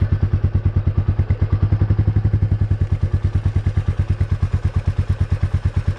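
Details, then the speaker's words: Royal Enfield Meteor 350 idling while standing after a service center oiled the rear and tightened the chain: steady single-cylinder thump, about two beats a second, with no rear brake clatter; the earlier noise is gone. "यार फिलहाल मेरे को तो अपनी bike में बिल्कुल भी आवाज़ नहीं लग रही, क्योंकि जिस दिन मैं सर्विस सेंटर पे गया था उस दिन में उन्होंने मेरी बाइक पे ज़्यादा कुछ नहीं किया था, सिर्फ ऑयलिंग करी थी पीछे की साइड और चैन टाइट करी थी, जिस वजह से मेरी आवाज़ बिल्कुल चली गई थी।"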